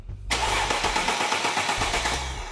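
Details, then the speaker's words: Mercedes-Benz no-start diagnosis: key in start position, relay circuit 87 closed; starter engages at once and cranks the engine at a steady, even rhythm with no grinding or clicking, so the starter is fine. "you can hear that the starter turning, the engine is turning. I do get power from the starter. The starter is fine."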